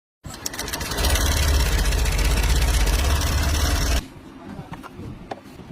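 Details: Honda Aviator scooter engine: a quick, regular tapping about four times a second over the idle, then it shuts off. Source unclear.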